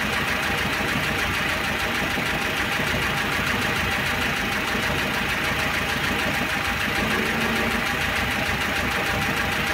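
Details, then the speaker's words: 1.6 petrol engine, block hot and near operating temperature, idling with a fast, light, uneven top-end clatter, filmed close up, checking whether it fades at 3000 rpm; oil pressure lamp flickers when hot; heavily worn camshaft and bearing bed. "я сейчас постараюсь это клацанье поближе снять а ну затихает или нет при 3000"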